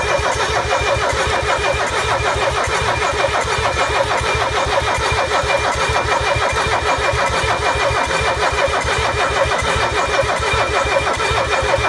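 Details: Mercedes OM617 diesel with newly installed glow plugs: steady starter cranking a bit over once per second for twelve seconds, never catches or fires; cranks but won't start.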